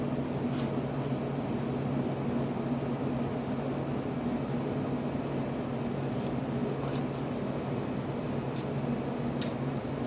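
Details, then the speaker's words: Fedders window air conditioner, compressor drawing about 10 amps, steady smooth low hum with even fan rush and no knocks or rattles; compressor almost inaudible, fan perhaps louder, running normally. "this compressor is insanely quiet though um they've had utter units with rhetoric's compressors and they they seem to be a bit loud like they're noticeable but this one is almost inaudible maybe the fan on this unit a bit noisier"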